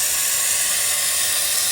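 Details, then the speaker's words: Kohler toilet with flush canister, after the canister gasket was replaced to cure nonstop running: an even rush of water for the whole flush with no gurgle or trickle, and the canister drops down and seats easily. A normal flush. "we'll give it a flush drop down seats nice and easy again perfect"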